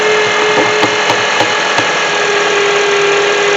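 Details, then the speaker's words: 2007 Honda CR-V at idle: steady high whine over smooth idle with faint ticking, pitch unwavering; bad alternator not charging, about 13.7 V, only 12.23 V with load; alternator to be replaced. "Alright, so as you can hear, there is that hazing sound. Hazing sound tells me that it's got a bad alternator in it."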